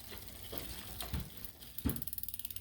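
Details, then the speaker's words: Bicycle front derailleur after reattaching loose cable, shifted to first chainring: fast even ticking and light scraping as cranks turn, chain rubbing the derailleur cage, needs limit adjustment. "Oh, you hear it rubbing though. That's no fun."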